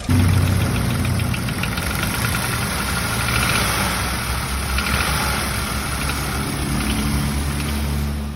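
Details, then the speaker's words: Used car engine check, example of a bad engine: uneven knocking rattles over rough running at idle, about three to four hits a second; abnormal internal knock, cause unknown, likely costly repairs. "se estiver assim Provavelmente você vai ter despesas com esse motor lol"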